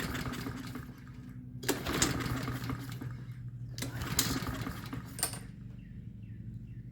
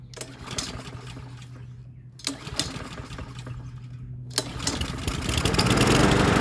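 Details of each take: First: Troy-Bilt TB130 push mower, Honda GCV160, air filter off, starting fluid and choke: three or four hard recoil pulls, never fires. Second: Troy-Bilt TB130 push mower, Honda GCV160, after replacing the dead E3 spark plug, no choke: two pulls die, third catches and settles into a steady even chug; starting and running normally.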